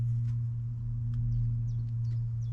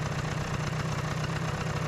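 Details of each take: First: Vespa PX scooter after a brand-new carburetor swap: steady starter drone with no catch or firing pulses, then a rapid clatter; no spark, CDI supply cable disconnected. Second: Vespa PX two-stroke, idle mix screw back at preset and idle screw set to a reasonable rpm: steady, even low putter with no surging or hunting; normal idle.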